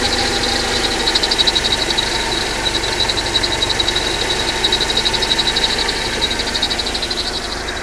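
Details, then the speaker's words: Mercedes-Benz W124 230E, warm idle around 80–90°C: steady high chirp pulsing about four times a second; owner suspects a bearing in the water pump, belt tensioner or alternator. "Could it be a bearing from the water pump perhaps or from the belt tensioner or perhaps from the alternator? Please do let me know if you have any experience with that noise."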